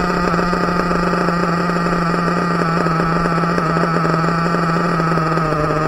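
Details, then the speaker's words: Team Associated MGT nitro RC truck with a pull-start stuck from a too-tight backplate on the one-way bearing: small engine screams at constant high speed and won't return to idle; receiver suspected of going bad. "the back plate where this oneway bearing goes into it is so tight that the shaft is just it's just not it's not retracting it's not letting the pull star the string rest retract back again so that's why it gets stuck"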